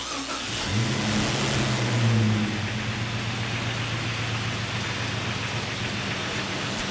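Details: Jeep 4.0L inline-six, sound probed at the fuel injectors with a multi-channel tester: engine picks up then a fast tapping about four per second, number five cylinder noticeably louder than the rest; knock source suspected, plug wire to be pulled to test.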